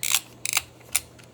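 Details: Reto Ultra Wide & Slim 22 35mm toy camera taking a photo after loading film to frame one: a crisp shutter snap, then quick even ratchet clicks as the film winds on; shutter and advance working normally.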